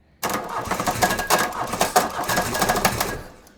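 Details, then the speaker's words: Mk1 VW with M-TDI swap and Bosch VE pump: levers moved clockwise relative to the governor linkage, and the starter churns the engine in uneven chugs that never fire; crank no-start from misadjusted injection pump lever. "And so now we should have a much lower idle slash it may not it may not even run when I try to turn it on. But here we go. Yeah. So like it won't even start."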